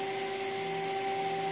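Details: Water-cooled CNC spindle running, recorded just off the table edge, about 69 dB on meter: steady high-pitched whine, no grinding or rattle; normal quiet running.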